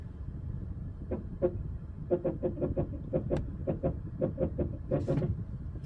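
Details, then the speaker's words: 2007 Toyota Highlander Hybrid, rapid nasal squawking chirps about three a second in uneven groups while brake pedal pressed firmly; owner suspects ABS actuator, replacement planned, not confirmed. "I did hear the noise coming from the ABS actuator, so I was able to get down on the price a little bit, but this is what it sounds like."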